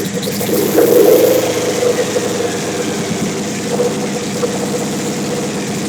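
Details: Big-turbo Suzuki TL1000R V-twin with 560cc injectors and Power Commander, during idle tuning: uneven, hunting idle with sharp throttle blips that spit and hang before settling; owner says it runs lean when blipped, lean idle.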